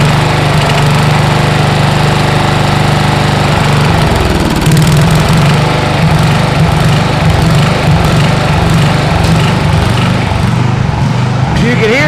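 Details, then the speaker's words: Mini hotrod with a swapped-in 12 hp freebie engine; it runs loud with an uneven, loping beat, then smooths out as it warms after lead is dripped in. Owner suspects a stuck valve that is freeing up. "we've been trying to figure out what's going on and I think that motor had a stuck valve"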